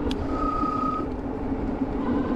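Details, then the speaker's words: E-bike front disc brake after upgrade from 180mm to 203mm rotor, riding: thin brief squeal over road noise as brake bites; still some squeal, less loud, stronger braking. "still got some noise but you know what it's for the braking power too I feel like the brakes are a lot better all right so it's not as annoyingly loud I still do get a little squeal as you can hear"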